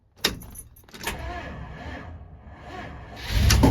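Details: 1979 Dodge D100 with tired 318 V8: slow, labored cranking for about two seconds before the engine barely catches and rumbles up; hard start, long cranking.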